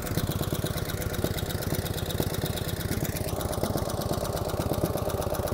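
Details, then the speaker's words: 1949 Harley-Davidson FL Panhead V-twin, cold idle: quick, light ticking from the top end over the lumpy beat. Tapping from the upper pans, suspected solid lifters; pushrods are to be adjusted. "cut a little bit of tapping noise out of the upper pans we're going to go ahead and adjust the pushrods sounds like it has solids in it"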